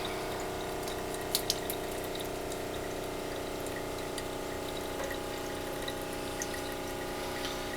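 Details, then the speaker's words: Off-grid rainwater system, small pressure-switch pump after cleaning the ceramic filter and bleeding air: smooth steady hum with water running evenly, no surging or sputtering; improved, consistent flow. Louder than usual because the door is open. "There we go. So you can see there's an improved flow. That's about as much flow as you're going to get with a little pump like the one I've got."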